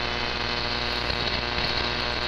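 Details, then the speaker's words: Alpha Delta DX-Ultra antenna receiving, compared with a DXE-RF-PRO-1B magnetic loop that removes the noise; steady raspy hiss with low buzzing hum under the static. Local raspy RF interference, source unknown. "you can sort of hear that raspiness in the background"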